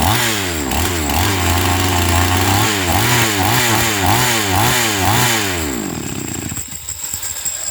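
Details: Chainsaw MC 15841 after carburetor inspection and idle adjustment for a no-start: blips cleanly from idle to high revs about twice a second, dropping back smoothly; normal running.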